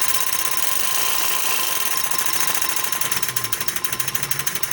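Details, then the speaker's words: MGB 501 paint gun with agitator cup running: steady, high, buzzy chatter with an even fast pulse near three per second; the agitator moves up and down in the paint, working normally. "Okay, it's going to go up and down in the paint, so the paint's going to get forced through the holes and around the sides"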